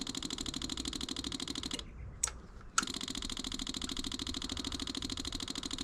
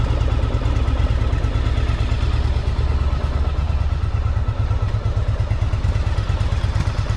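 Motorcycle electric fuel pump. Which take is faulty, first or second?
first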